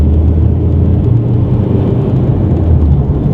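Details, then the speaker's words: VW Golf driving down the street gaining speed: deep, steady rumbling, grinding growl from both front wheel bearings, worn and needing replacement. "it sounds kind of like it's grinding those are the wheel bearings on the car both of them need to be changed because the wheels aren't spinning properly as they should"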